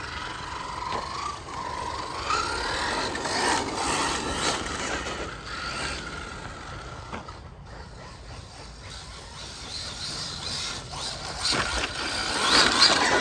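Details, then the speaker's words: FTX Zorro brushless RC car on 3S with a new chassis (27 mph top run). A harsh, gritty rasp with a rising whine on each acceleration; the drivetrain gears sound like they are chewing. The run was stopped to avoid further damage. Owner suspects metal gear on plastic; unconfirmed. "I think we're going to call it a day, people, because that noise is, I don't want to do any more damage than what I may have done."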